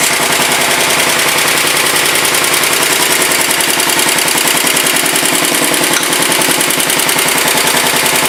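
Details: 1967 Sears Suburban 10 tractor, first start after repairs: steady, even single-cylinder beat at about three and a half pulses a second, no misses or knocks; low idle thought too slow to charge the battery.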